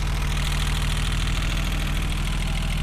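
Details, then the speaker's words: Stock 1990 BMW E30 320i, M20B20 (129 bhp), at idle: light even ticking about three per second over steady low idle; valve-train tapping, owner plans to fix valve clearance. "Get the valve clearance fixed because we can definitely hear the tapping sound."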